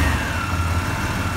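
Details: Vehicle with a dead battery started using an Autowit Supercap 2 capacitor jump starter. It catches and settles into a smooth, even low-rumble idle with no misses or knocks, a healthy idle.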